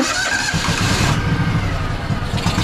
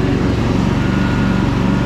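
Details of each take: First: Craftsman DLT3000 lawn tractor, Honda 16.5 hp, water-contaminated fuel drained from carb bowl: long labouring cranking that runs unevenly, spitting and sputtering without clearly catching; hard starting, likely more water in fuel. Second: Craftsman DLT3000 lawn tractor with factory Honda 16.5 hp engine, after fixing no-start and purging water from fuel, on test run: fast, even single-cylinder beat, steady pitch, no misses or knocks; runs healthy and sounds awesome.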